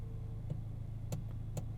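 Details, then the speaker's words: 2023 Acura Integra 6-speed manual while driving: sharp clicks roughly every half second over low steady engine hum, cabin rattle of unknown source, said not to affect anything. "yes this does this while you drive and this rattles it goes you can hear it yeah okay so there are a couple of rattles in here"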